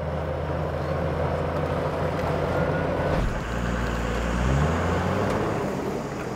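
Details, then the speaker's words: Toyota HJ61 60 Series after full gearbox and transfer case rebuild with complete seal kit, driving: smooth even driveline with no whine, growl or clunk; shift now tight instead of loose, no noise, like new. "before when you drove this thing it was so loose in the shift now it's nice and tight and there's no noise at all so it's just like a new gearbox only better really because it's got better components and has been rebuilt properly"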